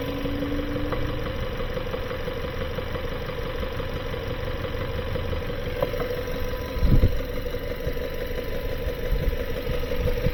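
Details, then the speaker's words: 2018 Kia Sorento just past 100,000 miles, smoking: uneven idle with a dull knock deep in the block and a breathy undertone. Piston ring blow-by is pushing crankcase pressure up and out, and the engine is blown internally. "And it's uh on your rings. So, the exhaust, the pressure from the oil is going up and through here."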